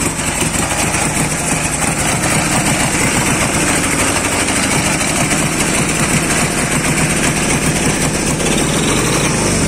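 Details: Dnepr 10-36 motorcycle engine after replacing worn connecting rod bearings and the rod that caused a knock: fast, even single-cylinder putter holding steady speed with no knock; running smoothly and healthy.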